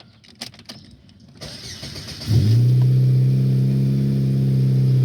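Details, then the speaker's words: 2002 Saturn SL four-cylinder starting and idling smoothly after new part installed to cure misfires; before, it ran like on two cylinders, now firing on all four with a steady even idle. "could already tell you that it's firing on all four that's it guys this is nice and smooth the engine is definitely firing on all four"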